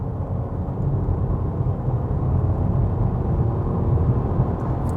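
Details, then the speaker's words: Honda Civic with one-litre engine, revved while driving on the motorway: deep, busy low drone with a coarse, grainy edge; fast enough but a bit rough and noisy, running properly. "if you pick it up that noise now the engine is fast enough it's just a bit rough it's a little bit noisy"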